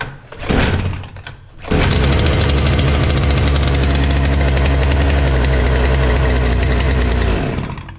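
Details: Stihl FS 460 C brushcutter with electronic carburetor, brought in as not running, carburetor cleaned: after a couple of pull-start tugs it catches and holds a steady high buzzing run with no stumbling; runs normally.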